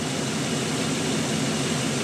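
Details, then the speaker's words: 2002 GMC Sierra 2500HD after exhaust manifold gasket replacement and broken bolt extraction: smooth even idle with low steady hum, no tapping or exhaust rattle; normal quiet idle, earlier suspected knock possibly exhaust rattle. "not making noise ugly is all get out but hey listen to that so quiet it's so nice"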